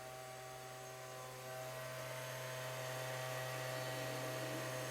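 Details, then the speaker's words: Xbox 360 DVD drive after the grinding fix (laser had been hitting the disc), cover off: a smooth, steady spin hum with a faint motor whine rising at spin-up; no grinding, normal disc spin. "There we go. Very smooth. make some sound because the cover is not on."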